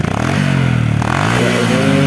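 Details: Honda Supra X 125 fuel-injected (Helm In) with black exhaust smoke, high fuel use and black plug, after refitting the original hose: revs up cleanly with no stumble, black smoke gone, running normally.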